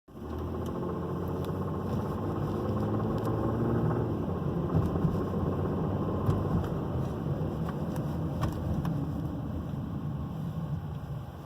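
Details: 2009 Volvo XC70 3.2L, warm, on 10W40 synthetic: loud, loose knock about three to four a second under acceleration or load, in drive and reverse, pausing at gear shifts. Water pump, idler, tensioner and belt already replaced.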